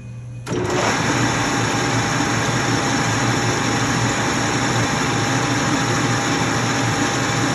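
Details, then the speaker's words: LeBlond Regal 13" x 30" engine lathe: motor starts, then the headstock runs in high range at 654 RPM with a steady high whir and even gear hum. Normal gear mesh, not a ticking. "you can hear the headstock it's not a ticking it's more of a mesh as you can hear it in rotation"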